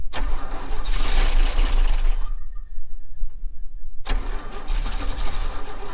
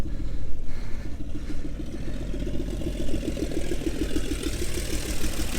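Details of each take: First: 1961 Chevy Bel Air 235 inline six, parked since 1981: two long bursts of starter cranking with a pause, never catching; no-start from points gapped at 0.030 in, fixed by resetting to 0.017 in, then it fires. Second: 1961 Chevy Bel Air 235 inline six, off the road since 1981, idles with steady even low rumble, no knocks or misses, after new gas tank and starter switch; radiator has no coolant and a bad hose; healthy idle.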